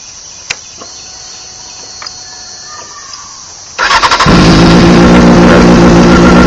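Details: 2001 Honda CBR600 F4i with bank angle sensor in nose fairing plugged in and upright: brief starter whir, engine catches at once and settles to steady even idle; normal start.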